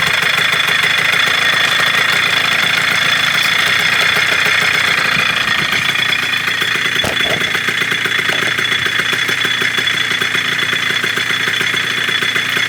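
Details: 1987 Kawasaki KDX80 two-stroke on fresh premix, first start during restoration of a non-running bike: raspy, buzzy running with an uneven, hunting beat that won't settle into a clean idle; owner says most of them don't idle right.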